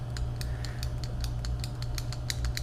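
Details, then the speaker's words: Big-turbo VW Beetle with twin-disc clutch: light, crisp clicks over the engine hum from the clutch pedal switch, which the pedal didn't fully reach, so no-lift shifting never activated. "Turns out, because I'm using the twin disc clutch, it wasn't going all the way down, so it wasn't actually, you hear that little clicking noise?"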